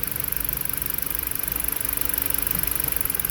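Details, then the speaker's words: Four-cylinder car running rough with no codes after a newly installed PCM, coils unplugged one by one: uneven idle stumbling about three times a second that worsens when coil 4 is unplugged; ignition coil misfire. "oh don't see that i don't change but i still have a misfire but the misfire got even worse when i unplug number four ignition system"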